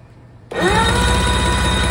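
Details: 2006 Evinrude E-TEC 90hp outboard on engine stand, sat for a long time: starter whirs up quickly and spins engine evenly with no binding; cranks freely.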